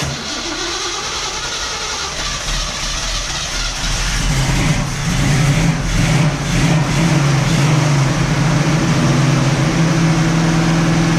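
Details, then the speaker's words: 1967 Camaro SS clone V8, first startup during its revival with a hand-wired ignition: it catches and settles into a firm, even idle, with pitch climbing smoothly on a blip. There is no tapping or misfire, though it seemed to need a little more fuel. "all right guys well last night we we had a very successful first startup it ran good sounds good not really anything to be concerned about as of yet"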